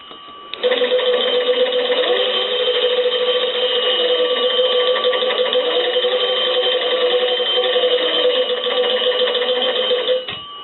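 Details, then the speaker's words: Kellogg cathedral-top wooden wall crank telephone, after magneto crank and bell circuit repair, magneto held for bench test: steady, bright double-bell ring about ten seconds while cranked, strong and even; magneto generating properly, normal ringing. "I'm going to do a little test I want to hold the Magneto [Applause] I want to go ahead and ring the bell there"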